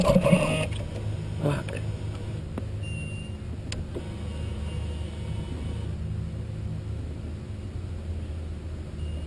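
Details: Buell motorcycle no-start with a weak battery: steady low droning crank for several seconds never fires or picks up; cranks but will not start.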